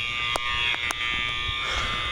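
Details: School overfill alarms heard; steady, shrill unbroken electronic buzz over faint room hum. Fire panel showed a shunt trip monitor supervisory, believed unrelated to fire alarm system; cause not yet known.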